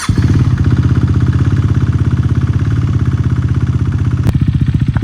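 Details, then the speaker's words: Rebuilt salvage KTM Duke 390 single, oil just topped off, first idle after rebuild: steady idle with a hard, regular knock on every firing pulse that doesn't fade; owner unsure if normal; engine knocking noise. "Can you hear what I'm hearing? That knocking like sound and it's not going away. Listen to that. Is that normal on these bikes or is it just me?"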